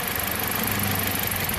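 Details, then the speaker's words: 2007 Jeep Compass four-cylinder, intermittent cylinder 1 misfire (P0301, P2302) recreated by wiggling ignition harness; idle stumbles with missing pulses, fault somewhere in the main harness, not the connector. "right there okay i lift up on this piece see which cylinder that is yup it is number one and if i move it back it gets better it gets worse"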